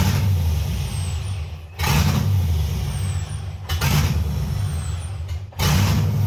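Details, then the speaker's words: 1989 Chevy S10 Blazer LS swap on the LS1 intake: idle surges and sags about every two seconds, never settling; rough idle from a vacuum leak, the MAP sensor was left off, leaving an open hole in the intake. "we must have a vacuum leak or something what's this that looks like it could be a vacuum Le that thing right there H yeah that might be an"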